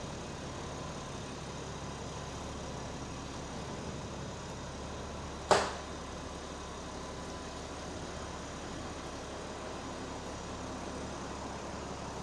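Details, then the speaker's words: Rebuilt wrecked 2021 BMW M4 Competition on its first drive, creeping out at low speed: a quiet, smooth engine hum with one sharp click midway and no knocks or misfires. Sounds healthy, and the transmission seems fine. "Yeah, that sounds beautiful as well."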